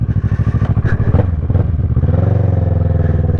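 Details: 2010 Kawasaki ER-6n twin after new coils, spark plugs and cam/valve work, exhaust earlier left open: loud, even burbling idle about three pulses a second, brief blip then steady; healthy again.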